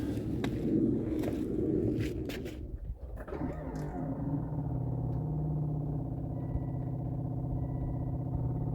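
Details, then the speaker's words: Volvo V70 diesel, ignition on, before a fuel filter change: after handling noise, a steady droning hum with a thin high whine; in-tank fuel pump sounds bad and is normally inaudible. "you might be able to hear how bad the pump sounds usually you can't hear it but at the minute you can"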